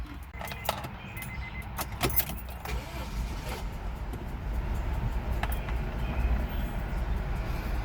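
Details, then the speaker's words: 1998 Honda CR-V at cold start: low, lumpy idle with an uneven beat, as if running on three cylinders, and the engine nearly stalls; misfire at idle with a blinking engine light, and the owner also wonders about a spun bearing. "it sounds like it's only like firing on the three piston or it sounds like it's missing on one of them and then it wants to die"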